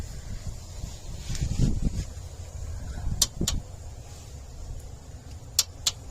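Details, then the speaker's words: Bobcat 763 skid steer, key on, lap bar down: relay clicks in quick pairs a couple of seconds apart as the seat bar light flickers; faulty controller, sent for repair. "See, so now it's clicking on and off. And when it does that, you can see the light turn on and off."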